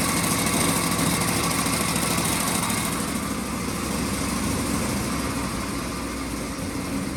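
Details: 1926 Ford Model T Roadster with a generator motor, battery recharged after the key was left on overnight: fires and keeps running with a fast, even patter at steady speed; throttle is laggy and finicky.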